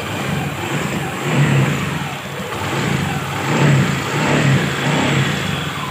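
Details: Honda Beat FI scooter after upgrade with Kaze piston: engine revs up and down in smooth clean surges, no knocks or rattles; healthy and pulls more lightly.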